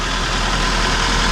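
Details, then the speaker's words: 2002 Mitsubishi Lancer OZ Rally after valve cover gasket replacement, cold start with idle slightly high and settling: smooth even idle, low steady hum, no ticks or knocks; normal idle. "So there it is. She's super quiet, runs smooth."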